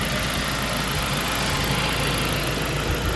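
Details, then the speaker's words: Saab 9-5 turbo after PCV system repair for oil consumption (about 1 L per 100 km), not fully at operating temperature, exhaust smoking black, blue and white; smooth even idle with steady low rumble, no knocks or misses; normal idle. "Oh, it says it runs fine. It's very nice actually. Runs so nice this car."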